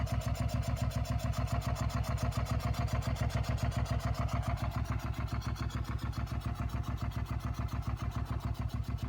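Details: 2004 Suzuki SV650 at steady idle with a sharp, regular pulse about three and a half times a second; unusual engine noise whose cause is not yet identified.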